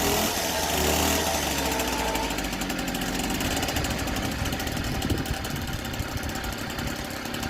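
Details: 1964 NSU Quickly S23 three-speed two-stroke moped, first start after engine rebuild on fresh petrol-oil mix, some smoke expected: fast, crackly buzz running steadily and easing down a little; the rebuilt engine runs fine.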